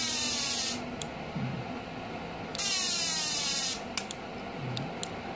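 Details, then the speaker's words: GENERAL MMA/TIG welder repaired for non-working TIG spark-gap points, tested with 100 W bulb load: sharp bursts of crackling hiss with short clicks between; high-frequency start firing normally after repair. "Hai calon nempel yang terjadi loncatan api yang sangat tinggi Oke ini udah normal guys ya dari bunyinya sudah ada suaranya juga bekerja"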